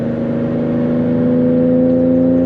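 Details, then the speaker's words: Pontiac Bonneville 3800 V6 after a spark plug change for a misfire: a steady, hollow howl at about 3100 rpm that swells as it pulls through the mid-revs; normal intake howl under acceleration. "Oh, and then check this out. If I can get it to howl here, it does this crazy howl at like 3100."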